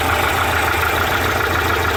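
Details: Porsche 912 flat-four at steady idle with a light, quick tapping over the engine thrum; suspected piston slap, not confirmed.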